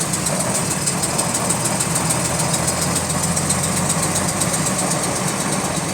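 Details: GAL WVL358 diesel bus on route 486: rapid, even high-pitched clicking over the engine drone, in sync with engine speed; cause unknown.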